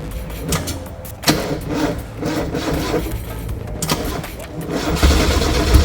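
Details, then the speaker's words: 1995 Mazda Miata with timing chain work just done, first start attempt: the starter turns the engine over sluggishly in uneven pulses, about four per second, and it never catches. The owner suspects a weak battery, unconfirmed. "Come on, girl. Come on, come on, come on. Sounds like battery. Yeah. Ain't no power."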